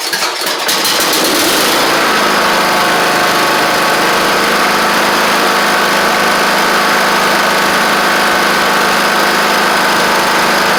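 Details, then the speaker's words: Troy-Bilt Horse XP riding mower, first start after the replacement engine swap (the old engine had a hole in the back; carburetor doubted). Catches on the first cranks and settles into a steady, even run with no misses, knocks or surging. It ran great; the choke was stuck. "But the fact that it just cranked up, ran great."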